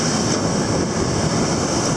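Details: Hesston 4910 baler after fixing a major timing issue, baling wet third-cut hay: steady, even mechanical roar with no knocks or grinding; baler working normally.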